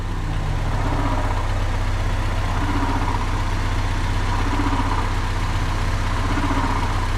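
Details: Honda Civic with a stock D16Y4 after a Skunk2 intake manifold install, timing checked at about 15 degrees advance and left as is: smooth, even idle with a low steady drone and no misses, knocks or ticks. Looks good.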